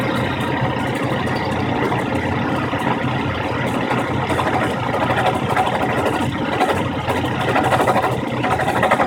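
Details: 1997 Chevy S-10 pickup idling with a busy, uneven metallic rattle mixed into the steady running note; cause unknown.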